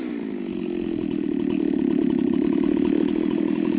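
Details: Chainsaw with an apparent mild port job, test cuts after bench repair and retune: high, steady two-stroke scream holds speed as the chain bites into wood, no bogging or stumbling; may need fine tuning; normal running under load.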